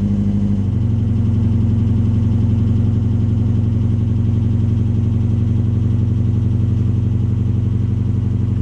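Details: 1988 Ford Fiesta Mk2 1.1 Valencia crossflow, Weber 32IBF carburettor, straight-through exhaust: catches after a brief stumble, then settles into steady low idle with even firing. Hard starting.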